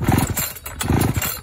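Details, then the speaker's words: Vintage Pioneer P41 66cc two-stroke chainsaw after a carburetor kit rebuild pops in uneven bursts at low idle, catching and running on its own; jets still to be tuned, but it is a runner. "Getting it a little bit more idle. We'll play with the jets later, but I think she's a runner."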